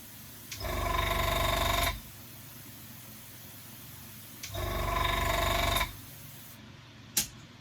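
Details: Little piston airbrush compressor, used for noise comparison against a new Gaahleri Apex Force ultra silent unit: two short bursts of harsh, rapid knocking clatter under two seconds each; rough, noisy running, cause not confirmed.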